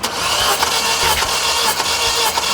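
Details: Mini Cooper with a check-engine light for multi-cylinder misfire, cranking on the starter during a compression test. Steady, even beats show this cylinder building normal compression, unlike cylinder 3, which had none; a valve fault is suspected there.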